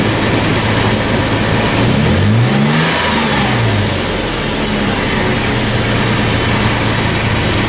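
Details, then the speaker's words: Toyota FJ Cruiser on a test drive after swapping the rusted OEM exhaust for a new MagnaFlow 16649 cat-back (2.5-inch stainless, mandrel-bent): engine blips and settles with a clean, deeper, throaty note, no drone; sounds robust and healthy. "Sounds good. I like it. It's got a little more note to it. some throat. Doesn't drone out and get weird. I like it. Sounds robust."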